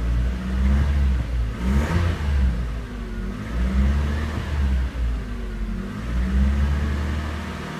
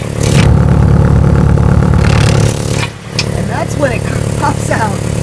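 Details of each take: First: 1998 Toyota RAV4 after repairing rusted, broken oxygen sensor flange exhaust studs: engine held near 2000 RPM, deep steady exhaust note with no rattles or ticking, exhaust leak fixed; never set a check engine light, heard from cab with window down. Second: 1998 Toyota RAV4 at startup, heard from inside cabin window down: loud raspy exhaust with puffing ticks about four a second and rattle, leak at oxygen sensor flange with broken, rusted-off studs and no nuts.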